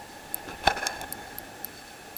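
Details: Fax machine power supply after a power spike, mic near the MOSFET: faint sharp ticks about every third of a second over a hiss as the supply hiccups and restarts; driver IC suspected bad, unconfirmed.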